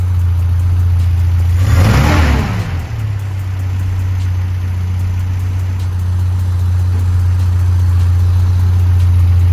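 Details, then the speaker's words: Toyota 4K engine after tune-up and valve clearance adjustment that cured ticking from the head, carb also retuned: brief blip settling into smooth, even low idle with no tapping from the head; normal idle. "Kung maririnig niyo nga guys eh wala ng lagitake ang head nitong ating si Cambyo King. Ayan nga okay na okay na ang ating makina."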